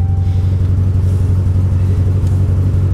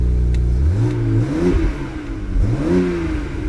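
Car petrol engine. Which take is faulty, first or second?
first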